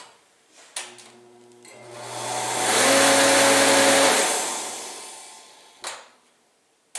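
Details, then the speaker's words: About 18-year-old 115,000 BTU torpedo heater with a fan that acts up: electric fan motor hums without turning, then struggles up to speed, once running in reverse and sounding different, and spins down; bad start capacitor. "yeah the motor is just not starting look at that [Applause] see that it started and ran the opposite direction that time if you notice it sounded really different too"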